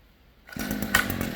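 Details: Stihl string trimmer (small two-stroke) after an inner drive shaft repair and bolt re-secured with Loctite: fires up and revs to a steady, even high buzz with no misfire or rattle. Normal running.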